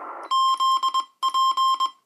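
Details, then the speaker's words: President Lincoln II radio on V3 firmware: CW tone near 1 kHz keys in uneven bursts, and the dot and dash keys give the wrong elements and run together, so the Morse comes out mangled. Owner suspects a firmware fault. "it's it's mangled so there's something wrong with the firmware and CW thanks"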